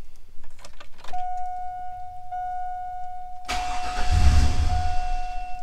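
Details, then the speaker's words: 2000 Chevy Tahoe 5.3L LS V8 with cylinders 7 and 8 misfiring, started cold after coolant temp sensor replacement with PCM reconnected: a chime, then uneven surging, stumbling and light cold knock, dying off throttle; rough cold start with misfire. "it's got a little bit of a cold knock [Music] we'll see if it'll find its idle now we did have everything unhooked and we unhooked the PCM so yeah it doesn't want to idle if I take my foot off the accelerator it dies a little bit of a misfire there"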